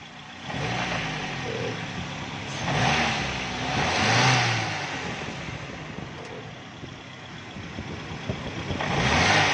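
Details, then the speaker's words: Car that would not run on CNG, fixed by reopening the blocked air hole and refitting the solution tape; engine now starts and revs up and down cleanly on gas with smooth rises, no misfire or stumble — normal running on CNG. "ये देखें, छोटा सा मसला था लेकिन गाड़ी gas पर चलने में इतनी ज़्यादा दिक्कत दे रही थी लेकिन गाड़ी बिल्कुल चलती ही नहीं थी।"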